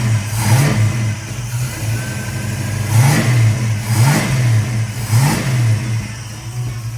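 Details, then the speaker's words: Ford 302 V8 first start after fitting a single-plane intake, carburetor and thermostat; it fires cleanly and revs up and back about once a second with an even beat, no misses or knocks, before idle mixture and speed were reset; normal running. "the little 302 fired right up but I did have to reset the idle mixture screws and the idle speed with the single plane intake"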